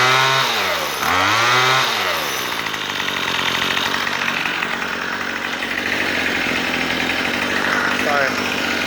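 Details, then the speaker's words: Troy-Bilt two-stroke weed eater after a carburetor fix, with the idle screw turned down: the engine blips, then holds a steady, buzzy, even idle without hunting or bogging. Normal idle. "I turn it clockwise you hear the motor about that turn it down to a nice idle so stay nice and steady"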